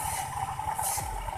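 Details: Honda Vario 125/150 scooter, rear wheel spun by hand: rough pulsing rumble under a steady ringing tone from a worn clutch pulley bearing, to be replaced.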